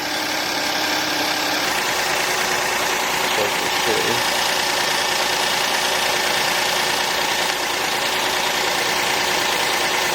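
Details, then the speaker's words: V6 car, started first try on a Noco GB70 portable jump starter, idling: steady even hum with no knocks, misses or hunting, normal idle. "car started up on the first shot with the gb70 Noco gb70 took care of it"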